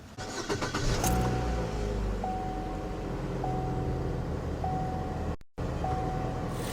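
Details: 2018 Chevy Sonic 1.8 L with a rough idle from a PCV/vacuum leak, after the plastic cam cover and tube were replaced, has a steady, even idle with a smooth low hum and no stumble or hiss; the engine sounds healthy.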